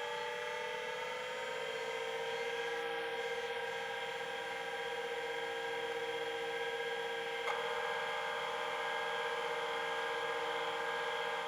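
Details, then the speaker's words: 1985 Plexus P/20 UNIX workstation hard drive, powered without data cables and recorded with the microphone right next to the drive: only a smooth steady spindle whine with no head clicks. The platters spin up properly, but there is no head seek activity. "okay so obviously it's spinning properly but I was expecting more head activity sounds and it doesn't sound like it's doing it anything"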